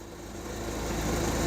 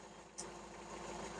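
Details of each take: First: Hyundai 30L-7M forklift with a GM 3.0L engine on the GCP system, idling in open loop: uneven, shaky idle with a loping low pulse that builds as it runs, smelling of unburned fuel; the fuel pressure regulator has lost power, so it floods rich. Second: Hyundai 30L-7M forklift, GM 3L engine with GCP fuel system, warm in closed loop after fixing the DEPR that lost ECM communication and caused extremely rich running: steady, even idle with no hunting or stumbling; normal idle.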